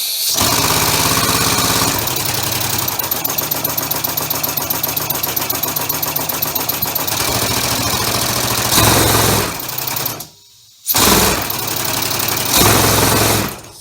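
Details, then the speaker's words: Homemade three-cylinder orbital compressed-air engine with a single-shaft push-pull valve, mounted on a hollow workbench: fast, loud, regular clatter from pistons and valves, boomed and amplified by the bench like a loudspeaker. "there's a lot of noise because I've got it mounted to my workbench which is hollow so any noise that you hear is going to be multiplied just like a loud speaker"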